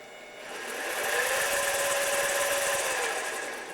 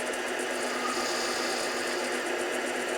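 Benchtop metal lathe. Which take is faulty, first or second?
second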